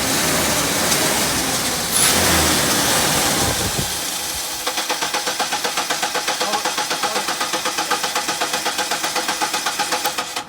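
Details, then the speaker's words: $400 truck after engine swap, with a cracked battery terminal: engine cranks at a steady four beats a second without catching, starter whirring and labored; starter found bad, replaced with new terminals. "Where's the starter stuff? The starter's bad."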